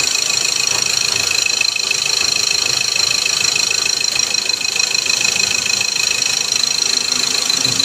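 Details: Ford Ranger 2.2 diesel, bought second-hand, after repair of leaking gasket and blow-by/low power complaint: even regular diesel clatter at idle, about three beats a second, no uneven knocks; running steady and healthy.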